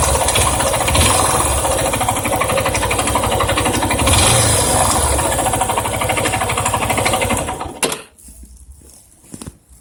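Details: Yamaha Ténéré 250 single-cylinder at idle: fast steady rattling clatter from the top end until shut off; owner unsure whether valves or cam chain, tensioner or bearings suspected, unconfirmed.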